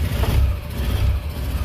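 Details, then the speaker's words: Rebuilt Isetta microcar engine, just refitted with fresh oil, first start after seeming flooded and a small backfire: small catches with a little throttle, then a fast low steady putter with no knocks; normal running after rebuild. "oh I forgot to mention we put oil in the engine as well okay we got we got a runner"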